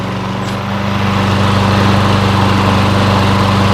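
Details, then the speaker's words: Super-low-hour Lawn-Boy mower engine that sat for a while, fresh gas, oil slightly low, started on second pull: small single-cylinder holds a quick, even putter with no misses or surging; smoothest, healthy idle. "This is the smoothest running little engine that I've heard in a while."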